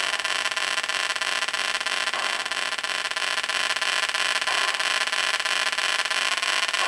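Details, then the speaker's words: 1980 Atari Battlezone arcade PCB set, first power-up after new programmed ROM and planned regulator/cap/socket work: constant hiss and buzzy static instead of game sounds; suspected bad POKEY chip, not confirmed. "it looks great but it's making all kind of noise [Applause] [Music] to me that sounds like we have a bad pokey chip"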